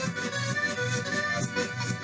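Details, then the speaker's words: Philips 22GR814 cassette deck playback: music comes through with swelling, backwards-sounding notes from one channel only, suspected of reading the wrong track. "that sounds like it's recorded [Music] backwards is this reading the wrong track on the cassette perhaps"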